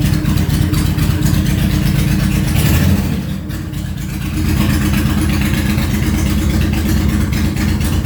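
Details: Honda VTX1800 (2002-2005) V-twin idling after fuel pressure regulator replacement: deep loping idle holding steady after a brief dip, no misses or ticks; normal idle.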